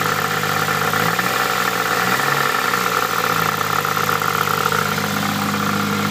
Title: Nissan Pulsar Gtir weird noise-second clip